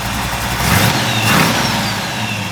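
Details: 1964 Impala SS V8 after carburetor rebuild with a Holley kit: steady rumble with a couple of smooth blips falling back cleanly to an even idle, no misses or knocks; normal idle.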